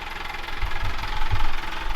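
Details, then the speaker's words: Amel Santorin sailboat diesel: on engaging the clutch at low idle a hard knock comes from the engine and it starts hopping, heard as heavy irregular thumps as it rocks; a little throttle makes it disappear. "Wenn wir einkuppeln, dann gibt es einen harten Schlag im Motor und er fängt an zu hoppeln."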